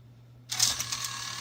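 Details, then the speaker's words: Nintendo Wii disc drive after a loading-gear repair: a short, smooth whir as the gear spins to eject the disc, with no clatter or skipping; the mechanism works properly. "we'll put it in there see that gear spinning as it took it in there and we'll eject it you'll see that gear spin again"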